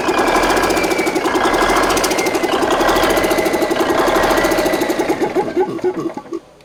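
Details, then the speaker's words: Home-rebuilt Big Cam Cummins NTC 365 diesel with a steady, even clatter at idle, all cylinders firing cleanly, then a smooth run-down at shutoff; it runs healthy, though its oil pressure has been low. "What do you think? Runs pretty good, huh? Sounds good to me. Not bad for my redneck rebuild."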